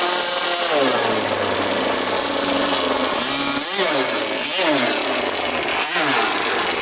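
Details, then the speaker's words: Jet boat two-stroke motor without silencer, impeller swapped for another: loud raspy engine rises and falls in bursts but never climbs to a clean high scream; won't come on the pipe, slower, owner suspects carburettor needs tuning. "It doesn't go as fast. I could It's the the carburetor needs a little bit of a tweak. I can hear that."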